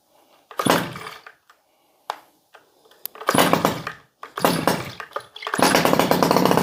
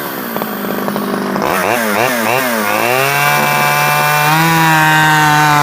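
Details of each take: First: Stihl 011AV chainsaw, first start: sputters through short blips, then holds a burbling, slightly blubbery rev for several seconds; running a little rich. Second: Stihl 011AV chainsaw after a carburetor rebuild and after the coil-to-spark-plug wire was taken apart and refitted: it blips, then holds a steady high buzz and runs better. Owner guesses it may still need crank seals, as tuning is awkward.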